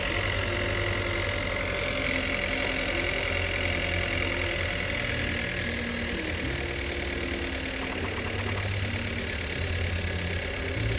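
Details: 2018 Chevrolet Cruze 1.4L turbo petrol idling with an uneven, stumbling beat, codes P0300 and P0201. A scope showed the cylinder 1 injector never fires, so the injector is bad.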